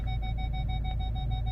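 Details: Ford Galaxy final test after repair (fault B1B53 cleared), engine running, pulling forward in first gear: rear stops, front sensor beeps quickly and evenly, about six or seven a second, over low rumble; working properly.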